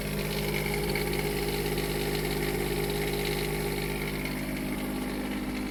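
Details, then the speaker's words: Onan 7500 Quiet Diesel generator on a 2002 Jayco Avatar diesel pusher, warming up without load after fuel filter, oil and air filter service: smooth, even run with steady tone, no knocks, misses or hunting; normal idle. "I'm gonna let that warm up for a minute before I put it under load and turn the AC on."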